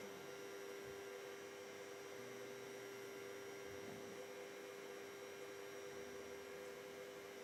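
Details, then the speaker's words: Noisy cooling fan on an Ender 3 Pro 3D printer being converted to EnderWire with a new MCU board: a thin, constant mid-pitched whine over a soft airy hiss, unchanging throughout. "the fan is terrible it's so noisy I don't know if you can hear it you probably can hear it it's it's terrible"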